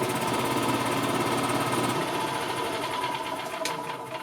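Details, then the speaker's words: 2000 Yamaha G16 gas golf cart running after sitting 4 years, weak battery just under 12 V: starter churns unevenly about three beats a second, slowing and fading; hesitant cranking because the battery isn't big enough. "hear how it hesitates when it cranks over? That's because the battery's not big enough."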